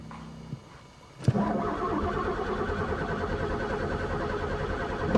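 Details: Pontiac unrun for three years, sticky throttle: steady starter churning for several seconds after a click, never firing; cranks but won't start; owner suspects chewed wires, broken fuel lines or no spark.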